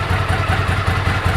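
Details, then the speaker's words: 1998 Ducati ST2, 10,596 miles, stock exhaust about 72-74 dB at tick over after new clutch, fuel pump, HT leads, Brisk plugs: lumpy but even V-twin idle, regular firing, no knocks or rattles; healthy idle. "so that's the decibels. Ticks over beautifully now."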